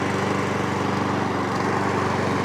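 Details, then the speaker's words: Mountfield S421RPD self-propelled mower, sold as broken because the power-assisted drive roller didn't work, after repair with oil slightly overfilled: a steady, even single-cylinder putter with no misses or knocks, and the drive roller now works. "Look at that. So now the drive roller is now working."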